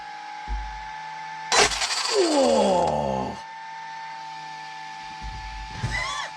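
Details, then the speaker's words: Traxxas XRT RC conversion after ESC calibration: a short, harsh whirring grind that swells as the motor spins up and falls away as it slows. Gear noise; the builder suspects the gear mesh is off or the gear has moved. "I think my mesh is off yeah all right let's figure out the mesh now"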